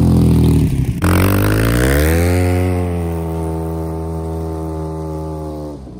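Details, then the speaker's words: Polaris RZR just after a head gasket replacement, first start-up: revs flare with a rough stumble, then the note sags and drones lower and the engine cuts out when given gas. Owner suspects the mass airflow sensor, throttle position sensor less likely. "so as you can see just then you can see it actually cut out when i gave it some gas i don't know what's up with that"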